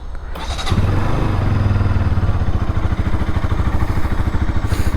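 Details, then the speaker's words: Bajaj Pulsar NS200 single, about 2 years old, started in neutral: settles into a deep, loping thump around two and a half beats a second; owner notes heavy vibration, source not pinpointed, later rattling number plate and mirrors. "So ಈ ಗಾಡೀಲಿ ಒಂದೇನಪ್ಪ ಅಂತಂದ್ರೆ ನೋಡಿ, vibration ಆಗುತ್ತೆ. So ಗೊತ್ತೇ ಆಗಲ್ಲ."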